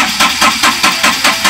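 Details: Ashok Leyland Dost BS4 diesel with Bosch EDC17 ECU: a long steady starter churn pulses about five times a second with no firing during a crankshaft position sensor check. The sensor's 2.5 V signal wires prove it OK; crank no start with no rail pressure from the pump.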